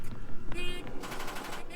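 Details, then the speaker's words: John Deere 9600 combine on a crank attempt: rapid machine-gun chatter from the starter, engine never turning over; owner says it is a bad starter, not yet confirmed. "sounds like a machine gun going off that's the sound of a bad starter"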